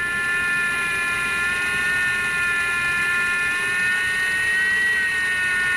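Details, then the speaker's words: 2023 Ridgid 18V R86211 Octane impact wrench with an intermittent fault where it runs at slow speed in any mode: a steady high motor whine stuck at low speed, wavering and briefly surging in pitch before sagging back. "that's weird you can hear how it's wavering it's kind of surging every once in a while"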